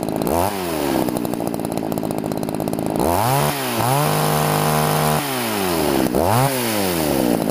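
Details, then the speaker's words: Two-stroke chainsaw held at full throttle while tuning the carburetor, with the high-speed screw deliberately set too rich. A blubbery, uneven burble with dragging revs, showing an over-rich mixture. "at first I'm going to do too rich and then I'm going to go to lean"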